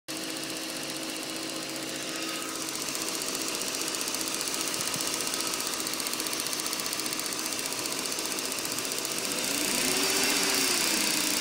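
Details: BMW E39 540i petrol V8 idling at cold start with a fast, light, regular ticking over the engine note; the ticking disappears after a few minutes.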